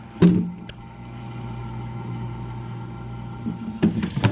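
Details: GE Profile Opal nugget ice maker after its failed water pump was replaced: a steady low hum with a soft motor drone and a few clunks at start and end. It is running normally and making ice again.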